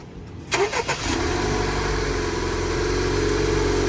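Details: 2018-2022 Honda Accord 2.0T started after installing charge pipes and reconnecting the battery. A brief starter whirr, then it catches cleanly and settles into a steady, even idle with no misses or rattles: a normal start.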